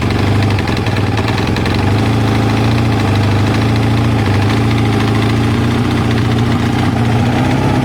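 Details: Kawasaki ZL600 V-twin after a project revival, new battery and pod air filters fitted, warming up on choke with smoke off the exhaust: steady, even low rumble with a smooth beat and no knocks or misses. A healthy idle.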